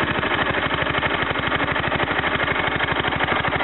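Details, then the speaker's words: Kohler K241 single-cylinder in a Wheelhorse C-101 after head gasket replacement, carbon cleaning and tune-up, warming at raised idle, no choke: crisp even firing pulses about ten per second, no stumbles; normal fast idle, runs smoother than before. "It has been run for a little bit, but that is not low idle. I did turn up the idle a little bit just so I could get it warm, so I could readjust it."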